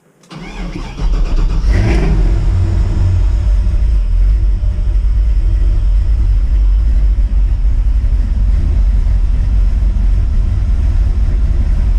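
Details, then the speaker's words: V8 off-road truck just fitted with eight new NGK V-Power spark plugs, battery weak at 10.6 V: cranks briefly, catches quickly and settles into a steady, even idle with no misses or knocks; sounds crisper, healthy. "sounds good sounds good to me all right I think I'll take her for a little rip into town just see how she works get some heat into it but yeah sounds a little crisper to me"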